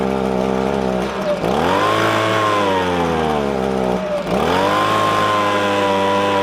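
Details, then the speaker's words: Echo ES-250 leaf blower (same engine as PB-250), warmed up: the two-stroke idles fine, but on throttle the pitch sags and stumbles, never reaching full revs. It bogs with about half power, a lean high-speed mixture fixed at the carburetor. "what happens is is the engine will idle fine but when you give it gas it just falls on its face and only puts out about half the power that is supposed to"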